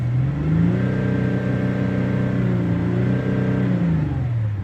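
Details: Audi 3.0 TDI diesel after removing, cleaning and refitting injectors with new copper washers and O-rings: smooth rev rising and settling with no tapping or chuffing over the hum; healthy running, earlier tapping gone.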